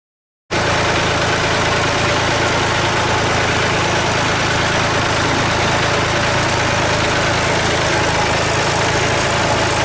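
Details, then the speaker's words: Massey Ferguson 135 diesel, after a slow crank on a weak starter with a sticking solenoid: it caught and idles with a steady, even clatter and no misses. "alright then so start it out but you saw she caught right moved a few bits around and whatever and she ran out of fuel"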